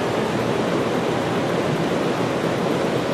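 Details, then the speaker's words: Large floor-standing greenhouse ventilation blower, thermostat-controlled to kick on at 70 degrees, pulling in fresh air to cool: steady, even rush of air with no knock, rub or wobble. Running normally. "and this this fan is controlled by a thermostat so at 70 degrees this blower kicks on and you can see it's it really really moves here bringing in fresh air to cool the greenhouse"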